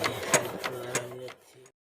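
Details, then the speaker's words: Old 5 hp diesel engine, new nozzle fitted in the injector and hand-pumped to test spray: sharp crisp pops about three times a second with each pump stroke, then dying away; nozzle spraying cleanly like new. "তো এই যে শব্দটি আপনারা দেখতেছেন একদমই নতুনের মতো এই সাউন্ডটি আসতেছে। তো এখন আমি নতুন নজেল দেওয়ার কারণে এটা আমার এই সাউন্ডটি চলে আসছে।"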